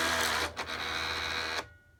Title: Cricut grinding noise